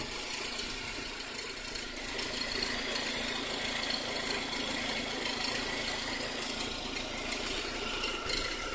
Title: Some strange noise... Saab 9-5